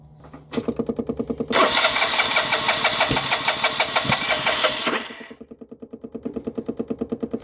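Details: 2009 Vespa LX150 no-start: starter chugs about three times a second, engine catches and sputters a few seconds with a little gas then falls back to cranking; owner suspects dirty spark plug again, unconfirmed.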